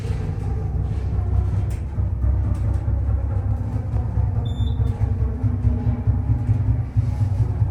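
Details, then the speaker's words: Otis Gen2 machine-room-less traction elevator, a few years old, Baylor University: heavy uneven rumble with scattered clicks and a brief squeal, sound changing through the trip; rough noisy ride, cause unknown. "That is something, y'all. a few years old, and it's already sounding this bad."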